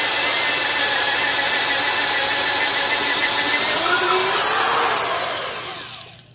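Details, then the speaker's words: Porter-Cable 1/2-inch drill, 5.2 A, 750 rpm, Jacobs chuck, drilling with an auger: steady high whine holds under load, dips slightly, winds down smoothly, no grinding; bogs less, normal operation under load. "Even though on paper, both these drills should have right about the same amount of power, as you can see, this Porter cable just seemed to have a bit easier time of drilling those holes."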